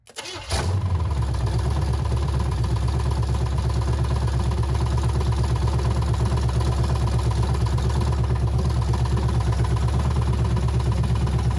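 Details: Abandoned 350 small-block V8 sat for years, 1985 K5 Jimmy frame, open headers, starter jumped via solenoid, manual oil gauge connected: brief crank then steady even low idle, no lifter knock; normal idle.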